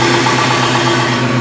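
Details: Early Ford Bronco V8, started after fitting Percy's multilayer aluminum header gaskets to fix a passenger-side header exhaust leak: a deep, steady idle with a smooth, even note and no ticking or puffing from the manifolds; it sounds sealed.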